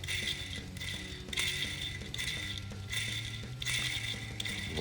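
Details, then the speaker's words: Airsoft DMR gearbox after shimming (0.05 added, minimal play): short bursts of dry high gear whir with light buzz; slight vibration from remaining play is normal, expected to go once grease is added. "on entend un peu de vibration, c'est normal, c'est parce que il y a quand même un tout petit peu de mouvement. Et une fois qu'on va rajouter de la graisse là-dedans, les vibrations vont partir."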